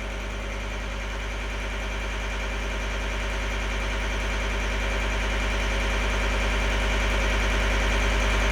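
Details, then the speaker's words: 2012 John Deere 333D skid steer, reman long block diesel, first runs: steady even idle that rises slowly as it warms, running smooth with no misses after an earlier bogging problem, possibly from moisture in connections. "it seems happy now I'm going to let it get up to Temp open my shop up so I don't aixi myself and just let her get warmed [Music] up"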